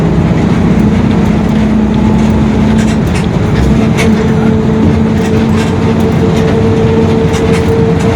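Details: 2021 Marcopolo Torino S on Mercedes-Benz OF-1721 BlueTec 5 chassis, long city bus, driving: steady road and engine roar with a faint droning hum underneath, the rear differential growling.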